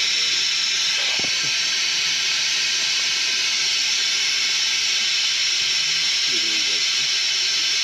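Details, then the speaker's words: F-4 Phantom in hangar: constant high airy hiss with faint knocks at the start; pneumatic leak near the canopy strut, not the piston, source not pinpointed by bubble soap or feel. "yeah I mean I can feel something but I I can't pinpoint The Source"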